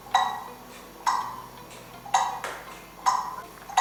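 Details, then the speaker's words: Kieninger longcase clock movement on a test stand, after adjusting the beat via the pendulum-leader screw and testing the hour strike: crisp metallic ticks a bit under one a second with an even rhythm; in beat. "and the movement is still in beat you can hear that"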